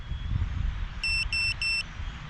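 Three loud, high-pitched beeps of about a quarter second each, evenly spaced in quiet surroundings: the lost-model buzzer is sounding.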